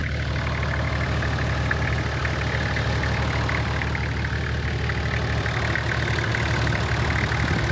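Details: DIY Land Cruiser camper diesel just restarted after re-priming the fuel line with the hand pump: steady low diesel rumble at even idle, no misses or hunting; normal running.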